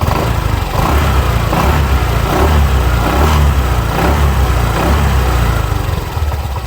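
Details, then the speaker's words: 2021 Honda PCX 150i scooter, 9 months old, about 8,400 km, stock engine and exhaust, started from cold with the rear wheel spinning; quiet steady idle, then a smooth exhaust note rising and falling with throttle blips, no knocks. "มีนะครับเครื่องเดินเบานิ่งปกติเลยนะครับเสียงเครื่องเงียบๆนะครับ"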